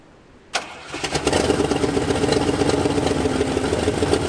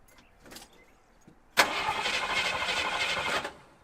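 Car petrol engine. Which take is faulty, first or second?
first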